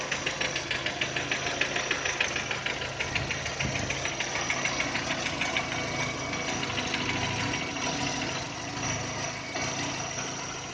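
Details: 2010 VW Touran 1.6 BSE, cold start after two days parked: sharp regular tapping about three per second at idle once revs drop below 1000, stopping above 1000 and fading when warm; owner feels it's left side. Engine rebuilt just over 15,000 ago (new pistons, valves, lifters, bored block).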